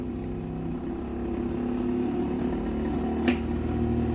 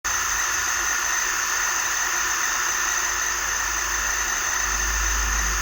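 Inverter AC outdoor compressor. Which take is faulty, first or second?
second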